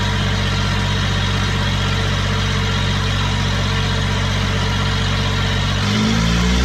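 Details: Small Kubota diesel driving a hydrovane air pump, running after a new 8-tooth-pinion starter fitted; steady even beat of about three pulses a second, smooth throughout; normal diesel running, though the pump makes no air and stalls when the tap is shut.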